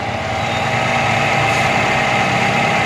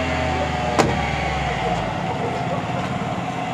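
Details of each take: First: Car cold start on a cold morning after heavy rain, mic near engine: steady, slightly raised idle hums evenly without hunting or knocks; normal high-rpm fast idle of a cold engine. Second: Car engine at first start of the morning, cold after a night of heavy rain: steady raised hum with no dips or misses, held at high RPM fast idle.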